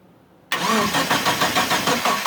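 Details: Mitsubishi Eclipse after sitting about 8.5 years, with fuel, spark and timing confirmed and fuses good, on a possibly weak battery; the starter churns steadily and never catches; owner suspects the crankshaft position sensor and plans a vacuum test.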